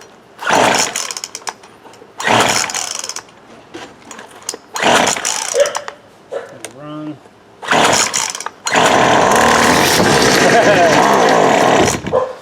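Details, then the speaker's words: 2008 Poulan Pro PP25E 25cc trimmer, sediment in carb, clogged screen, misrouted fuel lines, purge bulb replaced: fires in uneven bursts, stalls, then ragged hunting revs; owner believes carb adjustments were tampered with. "she's not happy but she runs my guess is uh they played around since there was sediment in the top of that carburetor they played around with the adjustments on it without a doubt"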